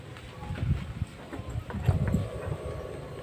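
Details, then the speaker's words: Honda Spacy scooter after repair of loose cooling fan on worn bosses, refitted with longer rings: low uneven idle, some mic wind, no metallic clatter; fixed. "ini tidak ada suara kakakak tadi ya permasalahan kan cuman sepili y nah permasan cuman sepili ada Bos kipas yang sudah aus"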